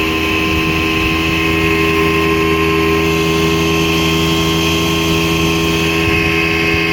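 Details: 1960 Scott-McCulloch 12hp outboard with a transplanted 14.1hp McCulloch powerhead, bronze Michigan Wheel prop, 24:1 full-synthetic fuel, running under load on the lake: steady, even two-stroke buzz holding one pitch, no misses or knocks; normal running at speed.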